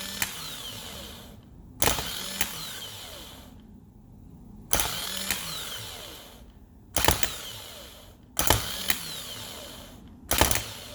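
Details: Bench test of the starter motor from a 2007 Range Rover Sport 4.2 supercharged: sharp clicks every one to two seconds, each followed by a short whirring burst then silence; the starter engages poorly and is faulty.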